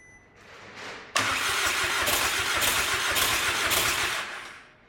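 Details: VW Caddy 2K, first start after swapping in a 2.0 BKD engine, no downpipe fitted. Starter churns briefly, then the engine fires and idles loud and hissy, steady and even. Normal start and idle.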